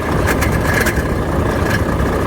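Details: Volvo FH13 diesel idling: irregular sharp knocks, grinding and faint squeak from worn fan hub bearing; viscous fan clutch internally welded/seized.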